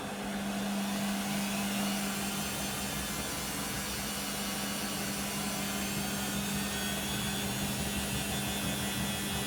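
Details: Beko WM5100W 5kg street-found washing machine, plumbed in, rinse/spin test with rags: a loud steady roar with a constant low hum all through the spin, no knocking; noisy spin, cause unclear.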